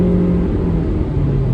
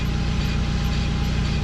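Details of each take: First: 2012 Suzuki SX4 AWD CVT after repair: smooth even low rumble at road speed, no rhythmic thumping or droning vibration; driveline fixed, slight clicking is camera mount. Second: 2012 Suzuki SX4 AWD with CVT on jack stands, wheels driven at stepped-up speeds: deep, rough driveline buzz that swells with speed as the rear differential nose visibly shakes, from a seized propeller shaft U-joint.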